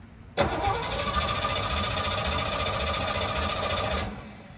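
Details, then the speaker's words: Small block engine, unhooked from the truck, cranked by the starter: it spins fast and evenly for about three and a half seconds without firing. Owner suspects low or no compression; not confirmed. "they don't usually crank over that fast, I don't think. So that tells me low compression or no compression."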